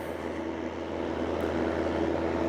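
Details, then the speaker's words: Oscillating fan heater (op-shop donation) running after the thermostat setting was corrected: constant whirring drone with a faint rough, buzzy edge, noisier than it should be; cause not determined, heater and oscillation otherwise work. "Okay, so it does work. Sounds a bit noisy."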